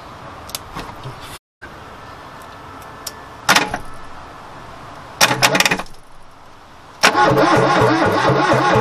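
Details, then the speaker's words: 1969 Ford Capri barn find cranked by jumping the starter motor directly with a screwdriver, with the coil possibly not energised: short bursts of starter whirring, the engine spinning freely but never firing. Spark check planned next; cause not confirmed. "turns man that turns well as well it's not going to start now"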